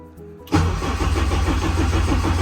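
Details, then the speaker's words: Race car in winter, cranking with injectors disabled to build oil pressure, with 93 fuel mixed with leftover methanol/ethanol in the lines. The starter churns with a labored, uneven rhythm of about four or five pulses a second, slow cranking from a weak battery. "And then, check if we got fuel pressure, but our battery, you can tell our battery's not very good right now."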